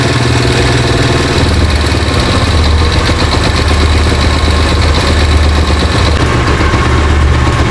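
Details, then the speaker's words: Italika Z-200 single-cylinder after right-side engine noise repair, noise gone: lumpy, uneven idle that sags and picks back up, not firing evenly as throttle is released; carburettor suspected, not confirmed. "Ahora yo lo que oigo aquí y noto es que como que no detona parejo, sino que cae así, no está así como parejita."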